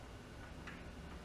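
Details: Jeep CJ5 after fuel line replacement and priming (ruptured line replaced): faint, irregular light ticks over a low hum with the engine off, just resting; source of the clicking not identified. It then runs with about 45 PSI oil pressure.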